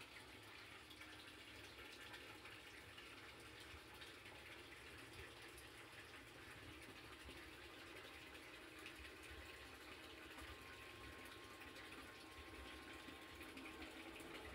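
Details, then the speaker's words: Sump pump air-locking: a heavy inflow stream churns the pit and pushes air bubbles under the pump, giving continuous watery churning and gushing. Pitch drops when the air clears, then it clogs again and the pump never shuts off. Foam baffle is the planned fix. "it gets emptier it starts churning more and the air bubbles hit the bottom and come up under the pump plug it up again and cycle repeats forever the pump never shuts off"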